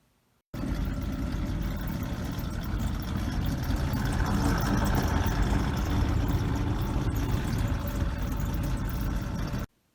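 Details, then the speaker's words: Goodman furnace blower before the motor was replaced with an exact replacement. A deep, steady rumble with a faint wobble under the airflow, pointing to a bad blower motor. "so today I'm working on a Goodman furnace and the blower fan started making a rumble noise and the knows that the motor was bad"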